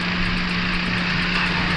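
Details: Perodua Myvi after general overhaul following a broken crankshaft lock pin, idling with aircon on: even steady idle, constant low hum, cooling fan blowing, aircon cold, temperature okay; engine runs smoothly.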